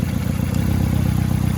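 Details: 2001 Nissan Sentra idling after replacing a dead ignition coil pack, diagnosed with a code reader: low, steady, even pulse, no stumbles or skipped beats; misfire gone; exhaust still needs work.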